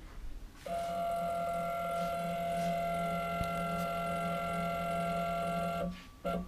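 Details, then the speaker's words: CNC router stepper motor under Mach3, jogging half an inch against a dial indicator: steady buzzing tone that sounds rough and coarse, from a wrong steps-per-unit setting. "you can also hear the motor sounds a lot more coarse"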